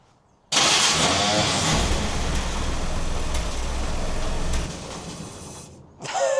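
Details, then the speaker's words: 1950 Willys M38 jeep, first start in over 15 years after reassembly, a new wiring harness, fresh fluids and a redone fuel system, on starting fluid with no choke: it catches at once and runs quiet and even with no knocks or misses. Normal start and run. "That was so quiet. That sounds amazing."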